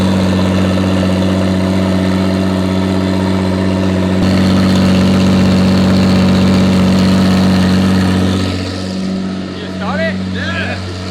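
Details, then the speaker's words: 2JZ-swapped FRS mystery project after sitting for a long time, stuck injectors freed, loud up-pipe masking engine noise: steady even idle under raspy exhaust drone, no bottom-end knock; engine sounds happy. "engine sounds happy especially for sitting for God knows how long obviously it's hard to hear some engine noise because of the up pipe is so loud"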